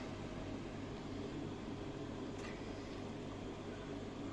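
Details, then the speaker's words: Marine aquarium chiller, just switched on: steady low hum with a constant droning note at an even level. It simply runs loudly rather than faulting, and it cools the water and holds temperature well. "От я тільки що включився. Отакий шум. Ну так, ну що робити? Зато охолоджує воду добре, тримає температуру добре."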